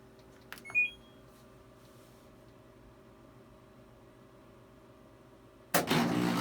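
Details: LG front-load washer WH2650HWA, bought 2013: a click and a short rising beep over room hum, then a sudden loud rushing noise at wash start; owner asks what causes it; abnormal noise at start of wash cycle.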